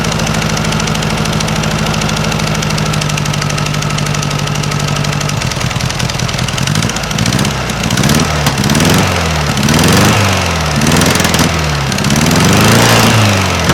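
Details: 1956 VW Beetle engine on a stock Solex 34 PICT 3 carburetor: a quick, uneven puffing pop over the idle that blips with the throttle. It is exhaust leaking at the unbolted heat riser flanges, not valves; a vacuum leak is also suspected.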